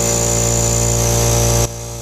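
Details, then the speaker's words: Craftsman 4-gal 1 HP oil-lubricated air compressor (921.166380), previously locked up and humming, run briefly with the motor cowl off: motor hums and hisses steadily but builds no pressure. Owner suspects the head isn't fully snugged down. "Okay, not seeing any pressure. I'm going to unplug it."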